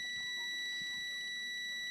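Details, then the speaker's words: Washing machine timer that reportedly won't return, tested on its wire with a continuity tester: a steady, unbroken high beep for over two seconds shows continuity; timer is good, and the capacitor is also fine. "Okay ang kanyang timer. Okay siya. Okay din ang kanyang capacitor mga parekoys."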